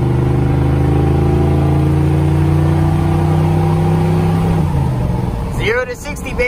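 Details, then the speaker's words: 1988-95 TBI engine after swapping the TBI distributor for an HEI distributor, accelerating from a stop through the gears: smooth, steady climb with no hesitation or flat spot; roughly 10 seconds 0-60, running well. "come on and you can hear no hesitation at all so she's fine tuned baby"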